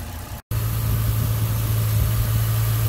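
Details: 2009 Ford Mustang 4.0 V6 after thermostat housing replacement (water pump also replaced earlier), running during a coolant fill leak test: smooth, even low hum at steady idle with no knocks or rattles; normal idle.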